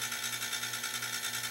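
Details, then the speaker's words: Home-built quiet compressor with a roughly 3-gallon tank, running about a minute and at about 22 psi: steady buzzing hum with a rapid rattly hiss over it, noisier than the previous build; cause of the extra noise unknown. "Well, you can hear how noisy it is. This one's noisier than my last one was,"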